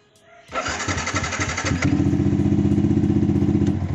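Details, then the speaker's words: Fuel-injected motorcycle after injector cleaning, previously hard to start and stalling when revved: starter whirs briefly, engine catches at once and settles to a steady even idle; revs normally; normal start and idle. "langsung bisa dinyalakan nya normal ketika di gas nyalanya langsung normal teman-teman"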